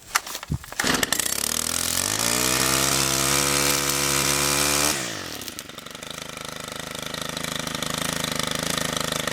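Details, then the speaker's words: Stihl FB131 two-stroke string trimmer, converted from bed redefiner to bump-feed trimmer head, started on choke then medium choke: catches, climbs to a steady high buzz, then settles to an even idle while warming up; normal running. "that sounds good uh we'll let it warm up for just a second and then we'll uh try it out in these weeds right here"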